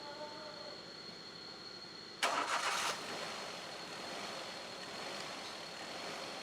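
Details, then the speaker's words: Engine with electronic throttle, its 6-pin throttle body connector unplugged as a demonstration: cranks and catches, then idles unevenly, rising and falling, and the accelerator does not respond. The unstable idle comes from the unplugged throttle body. "ഹൈഡലിങ് ഒന്നും proper അല്ല കണ്ടോ ചുമ്മാ ഒന്ന് കാല് കൊടുത്തേ കാല് പിടിക്കല്ലേ കാല് കൊടുത്തു വീടാ ഇപ്പ കണ്ടോ ഇത് കണക്ക് കേറി ഇറങ്ങി നിൽക്കും ഹൈഡലിങ് ഒന്നും പ്രോപ്പർ ആയിരിക്കത്തില്ല"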